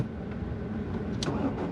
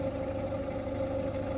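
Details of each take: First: Ford Fiesta after repairs, cold start around 4-8 °C: engine catches at once and settles into a smooth even idle with no hesitation or misfire; normal cold start. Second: Ford Fiesta warmed up to temperature and idling smoothly with a steady mid-pitched whine that disappears when revved. The owner suspects a tensioner or idler on the timing or belt side; not confirmed.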